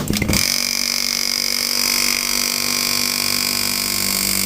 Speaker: When it builds head, pressure obviously quietens down. Quite a lot of oil mist comes out obviously when you let it go.